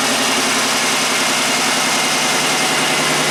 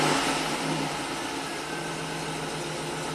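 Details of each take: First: 1990 Buick Regal GS V6 with severe low power and low intake vacuum, idling: lumpy, uneven pulse with one beat dropping out each cycle; cylinder number five dead from a non-firing injector. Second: 1990 Buick Regal GS V6 with severe low power, closed loop with block learn adjusting, rpm raised slightly: steady even hum with no misses or knocks; engine runs smoothly.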